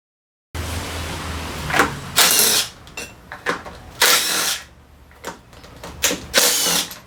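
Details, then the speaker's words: Daelim Couple 50 scooter: short bursts of starter whir that cut out abruptly, feeling like something slips loose, and the engine won't start; failed drivetrain starter part, typically failing around 30,000–40,000 km. "Âm thanh..Có cảm giác như có gì đó đang nới lỏng ... Tiếng điện vào rồi mất điện đột ngột ..."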